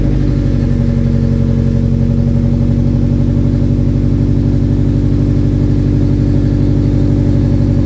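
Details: Nissan 240SX after patching exhaust leaks: loud, deep, puffing exhaust chuffing about four times a second at idle and on revs; still leaking, possibly damage inside the muffler casing.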